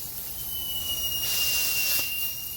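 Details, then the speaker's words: Honda SOHC turbo on the dyno, engine off, intake pressurised and sprayed with soapy water for leak testing: steady high hiss swelling as air sprays back along a pipe coupler; boost leak. "Oh, it's just spraying into my face. You can see it, see it literally going back on the pipe? Hear it? We'll fix that one."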